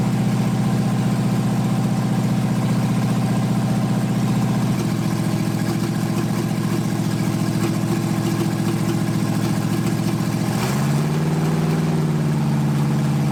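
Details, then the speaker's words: 1980 Dodge short-bed truck big-block V8, first run in 14 years, during cam break-in after converting from points back to factory electronic ignition; steady fast idle with even smooth beat, no misses or knocks, normal running. "i was a little bit worried there but once we changed over to this electronic ignition thing started to kind of look up and work a little bit better"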